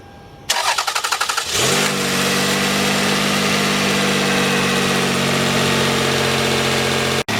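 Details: Toyota Camry 1MZ-FE 3.0L V6, first start after valve cover gasket, plug, coil, PCV, throttle body and intake plenum work and coolant refill: quick crank, catches cleanly, settles to a smooth even idle, no knocks or misses.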